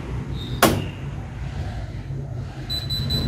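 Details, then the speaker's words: Electrolux EWF85743 washing machine that won't wash: the door lock clicks repeatedly, then three quick high beeps over a low hum as it immediately shows error E40, a door lock fault. "Đó, các bạn nghe thấy tiếng khóa cửa tạch tạch không? Nó tạch tạch liên tục và lập tức là báo lỗi E40 này."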